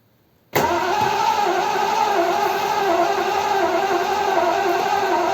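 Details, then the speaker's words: Triumph Stag, off the road about 20 years, after a top-end rebuild with heads just fitted and torqued and no coolant yet. Cranked on a borrowed battery, the starter spins steadily but never fires: cranks but won't start. "Turn it over. Hang on. Do it again. No spark. Well, there was yesterday."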